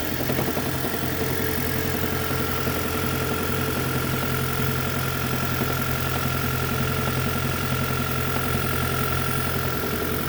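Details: 2010 Toyota Prius at idle: light, somewhat uneven knock and rattle about twice a second under the engine hum; engine knocking and rattling, later fixed, source not identified.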